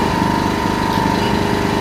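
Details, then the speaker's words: Yamaha EF1000is generator, warm after 3-4 minutes running, in a garage with echo: low steady hum with faint constant tone, no surging or knocking; noticeably quieter, normal idle. "So this thing's been running for like 3 or 4 minutes and it's definitely noticeably quieter."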